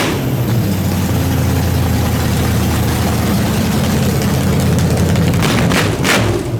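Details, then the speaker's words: Nitrous small-block Chevy V8 in the Brooklyn Dodger build, first start after a fast build, following fuel pressure trouble (too much fuel): deep, lumpy cam idle holding steady on its own with no misfires or knocks; it starts, runs and idles normally. "but there it is it starts it runs it idles"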